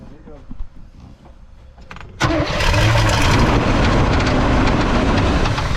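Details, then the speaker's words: Suburban 454 big-block V8, started after sitting for years, had oil pressure: catches after a quiet stretch and runs loud and rough, with an audible knock. "I hear it Knocking now I hear it Knocking now"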